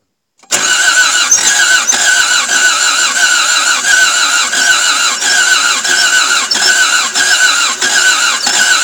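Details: Toyota MR2 AW11 after injectors and distributor were cleaned, fresh 91 premium ethanol-free fuel, distributor turned fully (probably advanced), throttle jamming wide open: fast cranking with uneven coughs about every half second, fires partly but won't start; cause unconfirmed.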